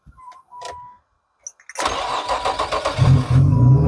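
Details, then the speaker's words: Nissan V6 3000-series engine with 219,000 miles in a cheaply bought car fires on the first try. There is a brief crank, then it catches and settles into a steady, even idle, a normal start. "whoa nice the first one fired right up 219,000 miles dang that sounds pretty good actually huh"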